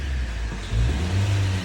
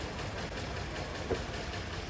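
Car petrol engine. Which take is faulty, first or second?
second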